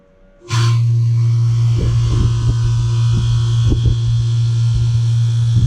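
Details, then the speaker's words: AC outdoor condenser unit after installing a new 3-wire OE fan motor, on a windy 110°F Southern California day. Steady low hum with a few light clicks; the slight buzz is normal, and the fan runs smoothly. "And these always make a little tiny bit of a buzzing noise, but you'll know when it's bad."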